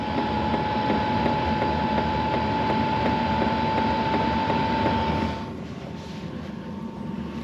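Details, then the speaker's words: BougeRV diesel heater in a 1994 Chevy van on a 20°F day, a few minutes after startup with a little smoke: the fuel pump now ticks evenly, a little under three a second, over a steady whistle and blower rush. It is running faster and metering normally. "It's running a little faster."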